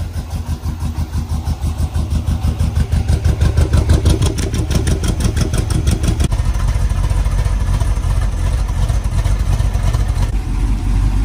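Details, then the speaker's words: 1968 Suburban with LS swap, after new wiring harness, fixed loose ground, exhaust and new cam sensor: cranks briefly, catches at once, steady deep even V8 idle; starts and runs normally. "the last thing we did to it was change the cam sensor and it really needed it because it made a huge [Music] [Applause] difference"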